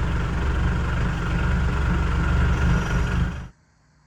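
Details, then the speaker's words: Mitsubishi Pajero with the 4M40/4D56 diesel right after a fuel filter change with the filter not pre-filled: after cranking, an uneven, lumpy idle clatter that smooths out over time. Rough idle from air in the fuel system. "So, she ran a little rough for a while, but now it's running good. Um, obviously there's air in the uh system"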